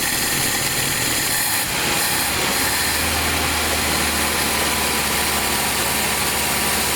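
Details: Abandoned 1982 Nissan 720 King Cab, carbureted, revived after about 35 years sitting and running off a gas bottle: steady, even idle with a low hum, no knocks or smoke; earlier a slight popping was suspected to be a plug.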